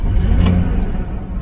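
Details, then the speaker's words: 2000 Ford Expedition 4.6 V8, roughly 30-40,000 miles, which stalls only in drive: revving in reverse, deep even note swells smoothly with throttle and settles back without stumbling or stalling; healthy. "now if I put it in reverse absolutely nothing I mean it's just perfect idles I can give it gas doesn't stall"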